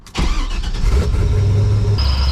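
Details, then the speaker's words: Engine after a water pump change, with a new belt fitted: catches and idles with a thin high squeal from the belt-driven accessories that returned as the engine warmed; not belt squeal, alternator suspected. "So like I say, initially I thought it was a belt, changed the belt. It did stop for a little bit, and then as the engine heated up, it came right back."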